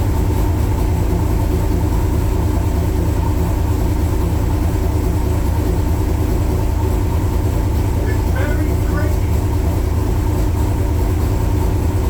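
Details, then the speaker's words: 1966 Chevrolet Corvette Stingray V8, cold start in January at about 11–18°F after 10 dry and 10 cranking pedal pumps: steady, fast, deep even rumble on high idle, nothing knocking; normal cold fast idle. "oh yeah very cranky very very cranky woo hope you enjoyed that 10 dry pumps 10 cranking pumps it's on high idle"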